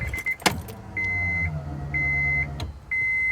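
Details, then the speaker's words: 1998 Acura Integra GSR at key-on after replacing the fuel pump (and swapping injectors). New pump gives a steady high whine of about half a second, three times, significantly louder than before. Normal fuel pump priming. "We'll see if we can hear the fuel pump. Oh, that's significantly louder."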